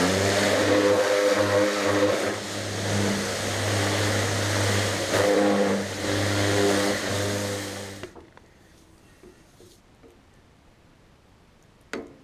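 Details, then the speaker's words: New Kärcher HD 8/18 pressure washer (800 L/h, 180 bar) on a farm: steady motor drone for about eight seconds, then clean cutoff, no knocking or stumbling; healthy. "On dirait qu'un hélico est en train de décoller, ça fait un bruit important. Ça pousse bien, on a vraiment un recul important sur la gâchette."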